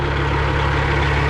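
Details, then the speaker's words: Freightliner FLD120 with Cat 3406e diesel idling after the thru shaft was pulled and the overhead checked. A deep steady rumble with a faint vibration underneath; the vibration persists after a test drive. Timing gear suggested by commenters, unconfirmed. "I fixed something that was wrong, but I did not fix the vibration. Ain't that fun?"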